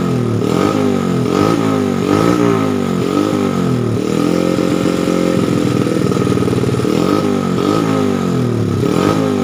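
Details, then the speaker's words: Honda Supra Fit single-cylinder after rebuilding a worn, oil-starved camshaft (reground, lift about 5.5–6 mm) and replacing piston rings: smooth, even note rising and falling over several blips, no ticking or clatter. Normal revving. "kita ini ya suaranya ya, ini punya lancar, ini suaranya ya lumayan halus ya. Kita gas dulu."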